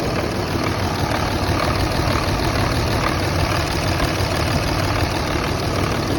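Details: 2005 Dodge Ram third-gen 5.9 Cummins turbo diesel, cold engine, complaint of rough idle: it idles with a lumpy, uneven clatter. Windex sprayed on the exhaust manifold stayed wet over cylinder six, so that cylinder is misfiring; the injector will be inspected next.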